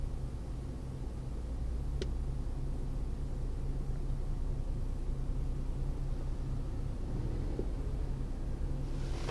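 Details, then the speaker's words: Mercedes W211 E350 Avantgarde, over 200,000 km, after engine oil additive, stationary, heard from inside cabin: faint even low hum with no knocks or misses; quiet, healthy idle. "들릴지 모르겠지만 , 차가 멈춰서 실내 에 있을 때 들리는 엔진 소음 은 이 정도 입니다 ."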